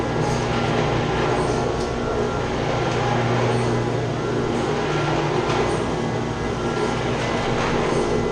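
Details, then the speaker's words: Chiller chilled-water pump: loud steady roar with harsh rattling, with the pump and copper lines shaking. The strainer is clogged and needs cleaning, and there is a leak; the fix is shutting down and cleaning the strainer. "Say it's shaking bad in the pump. Making a lot of noise. You see it's shaking. What's happened though, they got a strainer right here. This needs to be cleaned out."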